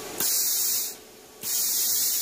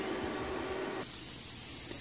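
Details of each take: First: Plasma cutter in cut mode, air pressure set mid-range on an unfamiliar gauge, gas dial fully open: two clean, even air bursts of about one and two seconds, steady flow with no sputter; normal torch purge. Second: Plasma cutter, compressed air line just hooked up and leaking a little: steady airy hiss with no motor behind it, easing slightly after a second; compressed air leak.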